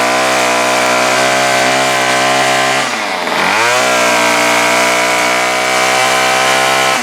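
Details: Bolens BL110 25cc two-stroke trimmer after new carburetor, fuel lines, fuel filter, spark plug and air filter, carb unadjusted: high steady pitch, brief dip on throttle change, clean recovery; runs strong.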